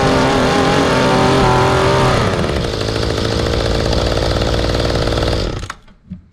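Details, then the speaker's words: Mantis two-stroke rototiller, formerly hard to start, after carb cleaning, new fuel line, new spark plug and mixture screws reset about one turn out: revs crisply, holds a steady even buzz, shuts off cleanly; runs right. "so the trick really was pulling those screws out here cleaning those out you run these all the way in afterwards and then really it's only a couple turns out not even about a full turn on the low side"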